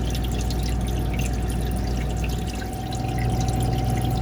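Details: Manitowoc ice machine whose ice stuck on the grid and ran low on water, after cleaning the water level probe: steady low hum and even water trickle with no stalls or gurgles, refilling normally.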